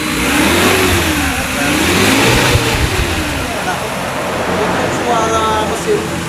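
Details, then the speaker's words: 2012 Suzuki Carry Futura 1.5 petrol pickup, dry engine with no oil seepage: revs up and settles cleanly, smooth with no metallic piston or ring noise or roughness under throttle blips, no smoke afterwards; engine sounds healthy. "suara dari mesin masih alus nggak ada suara metal gitu ya Nggak ada suara metal seher atau ring seher atau suara kasar itu biasanya kedengeran"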